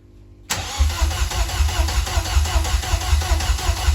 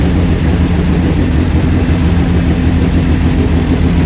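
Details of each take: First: Rebuilt Vauxhall C20LET rear engine in twin-engine Corsa, first start in months after oil priming, no coolant: runs lumpy with uneven pulse and occasional pops/backfires; misfire traced to one crossed plug lead, timing also suspected. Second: Vauxhall Corsa twin-engine car, freshly rebuilt rear C20LET turbo four-cylinder first start in months; low, steady even idle with no misses, knocks or hunting; healthy.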